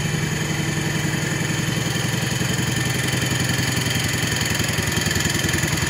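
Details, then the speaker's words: 1970 140 H3, after engine and transmission work, possibly bad gas or two-stroke mix in tank: steady idle with fast regular clatter three or four a second; owner guessed a rear bearing, then said it isn't; rear noise, cause unclear. "runs pretty good I'm guessing that noise I'm hearing is coming from the bearing back here"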